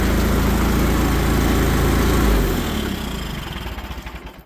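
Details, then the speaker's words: Old Allis Chalmers tractor, a barn find stored about 20 years: after choke and ignition it catches and runs with a steady low chugging beat, then fades. A hydraulic leak is noted. Healthy normal running. "But hey, she fires up. That's amazing."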